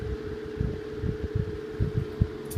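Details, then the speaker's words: Antique 12" Westinghouse fan on position 1 (low), at full speed. A low, steady hum with soft whooshing, fairly quiet, no major noises, moving plenty of air. Normal running. "So once it gets into full speed, you can hear that it's fairly quiet. There's no major noises or anything like that. It does put out quite a bit of air."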